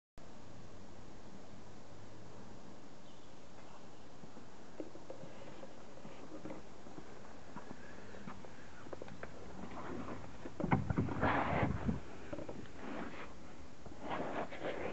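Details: Land Rover Freelander pulling off or manoeuvring at full lock; irregular dry cracks and creaks from under the car in short bursts as it moves off, suspected subframe mount; subframe mount creaking.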